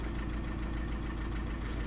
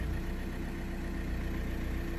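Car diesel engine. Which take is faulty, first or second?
first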